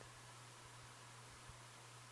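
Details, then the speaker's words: 36" Design House Carrousel top-mounted spinner ceiling fan with cane blades, low speed fixed by reconnecting switch-housing wires, running on low: very quiet, faint steady hum, no bearing rumble or rattle; normal quiet running. "I can hear it a little bit from the motor, but I mean it's silent. There's no too loud bearings or any weird noise coming from it."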